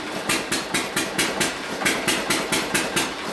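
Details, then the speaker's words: Hit-and-miss engine on a flat-belt dyno at heavy load: sharp exhaust pops about twice a second, mostly consecutive hits with an occasional skipped beat, estimated around sixty misses a minute; normal firing under heavy load. "hits in a row and then maybe one miss watching hits it's a lot easier to count the misses now than the hip support"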